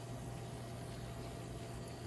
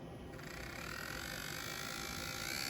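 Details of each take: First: Intermountain N-scale SD40-2 locomotive bought with a known running noise and a flickering headlight, bare mechanism running: smooth, even low motor hum with no clicking or grinding; normal quiet running, so the noise lies elsewhere. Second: Intermountain N-scale Kansas City Southern SD40-2, bought used and known to be noisy, running at full throttle: a thin whirring buzz with a gritty rubbing edge. Something is rubbing; cause not yet found.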